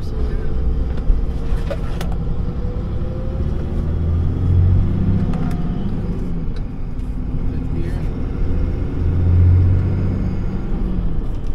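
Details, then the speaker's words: Dodge Ram 3500 with a rebuilt Mercedes G56 manual transmission (mouse damage) and new clutch, driving: smooth even low drone with no whine, clunk or grinding; the noise it had since almost new is no longer heard, feels like brand new. "things always had a noise in it since it was almost new and I think it's I don't hear it now"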